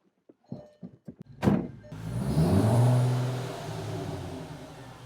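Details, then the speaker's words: 2004 VW MK4 GTI 6-speed manual, previously whining badly on deceleration in 3rd; after installing a washer fix, engine fires after a few clicks and settles into steady low hum with no gear whine, quiet transmission. "I don't hear it. Okay, I don't hear it, so now let's go test drive it and see if we hear it on the road."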